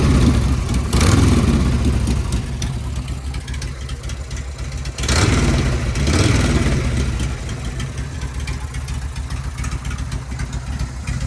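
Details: Home-built Harley Sportster chopper, cold start on choke: it catches and settles into a loping, even idle with a low thump and no ticks or knocks. The owner reports no weird noises beyond the normal breather bolts. Healthy.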